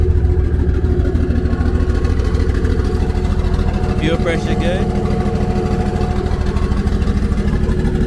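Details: Nissan S13 on E85 after a cold start, on jack stands: steady, even idle around 700–800 rpm with no knocks or misses, and fuel pressure, oil pressure and temperatures all good; normal healthy idle.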